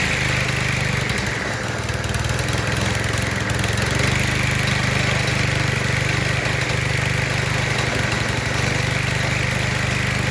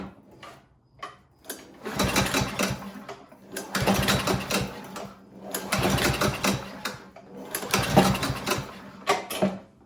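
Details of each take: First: Cub Cadet ST100 walk-behind string trimmer after a fix for no-start, suspected stale gas clogging the carburetor, with the dirty carb cleaned and reinstalled: small engine buzzing at a fast, steady idle, even beat, no stumbles or misses; runs clean and smooth. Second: Cub Cadet ST100 walk-behind string trimmer with fresh oil, a full tank and a clean air filter; stale gas is suspected to have clogged the carburetor. Four rope pulls, each a short rattling spin that dies without firing: no start.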